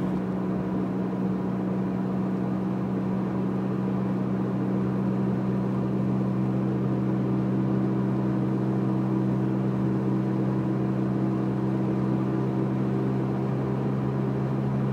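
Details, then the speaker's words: Vehicle with an Enginer 4 kWh battery kit (Gen 1), cruising near 50 mph with the converter fan still running: a steady low buzzing drone under road noise that the owner suspects is a worn wheel bearing. "pick up to 50 hear that noise is my wheel bearing that buzzing"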